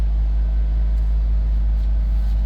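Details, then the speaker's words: 2007 Nissan Versa after replacing the fuel pump, whose built-in pressure regulator is a known hard-start cause: low, even idle with no pump buzz. The old pump was audible and the new one isn't, so the old one was likely failing. Normal idle. "well it appears to be working man i could hear the old pump i couldn't hear this i can't hear this one so i guess that old one was going out"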